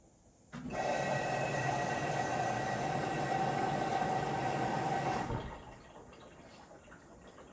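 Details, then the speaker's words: LG WM4000HWA front-load washer on the Allergiene cycle: a relay click, then about five seconds of steady rushing water with faint hum as the steam generator fills, then quiet; normal steamer water fill. "every time you hear the relay click that's when the the steamer or that's when it starts filling up with a bit of water"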